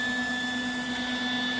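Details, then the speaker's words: Lincoln 180 amp MIG welder idling: a steady, piercing high whistle from the vent rides over the soft rush of the cooling fan. High-pitched vent whistle, later fixed with an air freshener. "okay so this video is about how to fix this whistling that annoying high-pitched noise that you can hear on a Lincoln 180 amp welder MIG welder so as you can hear this is unbearable this is horrible and it's coming from vent right here"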